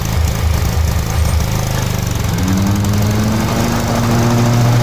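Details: 1987 Cub Cadet 1106 riding lawn tractor, sat over 4 years, on function test: loud steady low thrum rising slightly in pitch as throttle opens, runs evenly; normal running.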